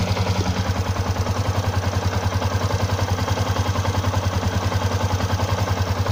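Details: Stock Yamaha Exciter 150 at 8,147 km, coolant untouched for half a year, idling: even idle with a light clatter about three a second over the exhaust beat; owner asks if it is rocker or clutch noise.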